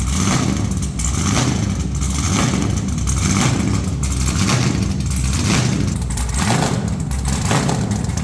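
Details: Truck's first fire-up with headers on and new red valve covers, possibly running some methanol: loud, deep, lopey V8 rumble with a steady beat about once a second, no knocks or rattles. Normal running, louder than their other vehicle.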